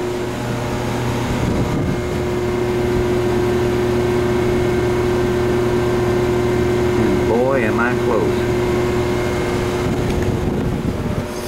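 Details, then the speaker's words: Lathe machining a pulley for a Bush Hog: a steady, piercing ring near 370 Hz sings over the motor drone; the cutting bit is too thin and chatters even though it is clamped as far in as it will go. "that's the sound of a bit [Music] vibrating this bit is not thick enough to hold the uh self together from that"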